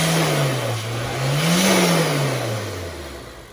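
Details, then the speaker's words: Honda S2000 with Kraftwerks Rotrex supercharger kit, just converted from cogged belt to 8-rib serpentine belt with tightened tensioner, first start: smooth engine note rising with a quick blip and falling back, no belt chirp, slip squeal or rattle; normal running. "Okay, ready to go. Fire it up. Running smoothly."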